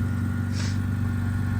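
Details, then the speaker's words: BMW E82 1 Series drift car on a cold start after a misfire was fixed, idling fine and staying running on its own: steady, even low hum with no tapping, knocking or misfire. "But there it is. Idles fine. Runs good. Stays on on its own."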